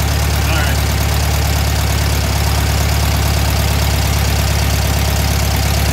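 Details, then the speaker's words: Warm VW Thing air-cooled flat-four during a tune-up: a fast, steady firing beat with a busy low drone, well above a normal idle. The throttle cable is too tight, holding the throttle open; the idle is set with three screws, and the engine needs to cool before adjusting. "right look yeah the idle high yeah see the screws yeah you adjust that with those three screws"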